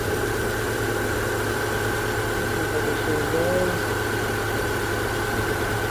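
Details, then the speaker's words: 2010-2014 Subaru Outback after alternator replacement, jump-started: smooth even idle, steady low hum with faint whine, no knocks or misses; alternator charging at 14.2 V, normal idle. "Alright, so it's charging, it's running now."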